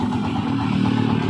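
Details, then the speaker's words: Single-cylinder engine that was misfiring, stalling and hard-starting, after valve clearance adjusted to 8 on both sides: steady, even idle with a smooth low beat, no top-end tapping; runs crisply now. "ngayon yan lumabas yung lutong niya kanina pagdating nito guys Hindi naman ganyan ung andar niya"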